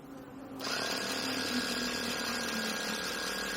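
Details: Scrubbing Bubbles battery-powered (AA) sprayer with motor being repaired, test run after wiring: small motor switches on with a steady, even whine, no grinding or stalling; runs smoothly.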